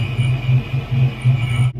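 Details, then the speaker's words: Fox-body Mustang V8 with Vortech V3 Si supercharger on straight-cut Heritage gears, self-contained oiling: loud deep rumble with steady high gear whine on top, normal for straight-cut gears; owner suspects a small header leak too. "i mean come on guys you gotta love that sound and if you don't like that sound they make one that's not that loud so with that being said i love the supercharger definitely a good option for you guys"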